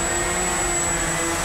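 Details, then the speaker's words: Walkera QR X350 Pro quadcopter on its first flight, in GPS mode after throttling up, slight wind: a steady, even high buzz from the props with no wavering or rattle; clean, normal hover. "and here it's hanging and I'm letting go of the stick and this is still hanging"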